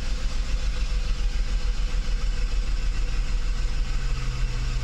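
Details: Mercedes 600SL idling with its E-gas throttle control module under test before a throttle body rebuild. Smooth, even low idle with a short clean rise in revs, no misfire or hunting; the E-gas checked out OK. Normal idle.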